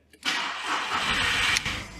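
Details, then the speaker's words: Skoda Roomster started without the key after the immobilizer was disabled in the engine control unit; short crank, then the engine catches cleanly and drops into a steady idle within about a second, immobilizer light blinking. "A je to tam. Auto naštartovalo. Bliká imulizer, ale auto funguje aj bez kľúču, bez imulizeru."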